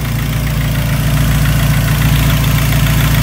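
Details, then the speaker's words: 2003 Dodge Neon 2.0 SOHC after timing belt, water pump and thermostat replacement: low, even idle with a smooth steady pulse and no squeal, tick or miss; earlier squeaking gone, normal idle. "no more [Music] squeaking she's ready to [Music] go"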